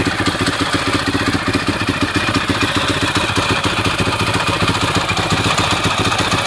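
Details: 2006 Husaberg FE650 single after dual valve spring kit and new 70-link cam chain and tensioner: busy, even clatter about three ticks a second over the idle; noisy top end, cause not found.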